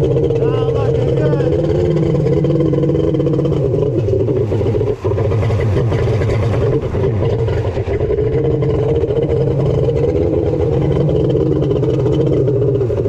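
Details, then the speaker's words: Kawasaki 1100 triple jet ski (X2), rebuilt with bored cylinders, Zeeltronic CDI, on water: drones at steady pitch and won't rev, sounded weird on the bench too; points to CDI ignition timing set wrong. "all right folks it won't rev ah I knew it sounded weird on the bench"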